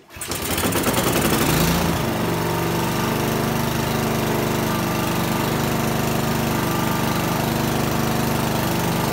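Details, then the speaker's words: Honda lawnmower during tune-up, after startup: uneven lumpy beat instead of steady drone; rough running, owner suspects old gas in the carburetor. "all right you can hear it's running really rough um and if gas out in that carburetor that's going to be very typical"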